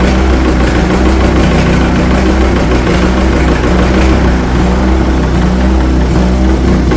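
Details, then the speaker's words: International TD-6 crawler's gas-start, diesel-run four-cylinder, revived after 11 years sitting rusted stuck, after the #4 cylinder misfire fix. Loud, steady clatter with an even deep beat and no dropped pulses: hitting on all four, healthy idle. "I think it's hitting on all fours. Sounds a lot better."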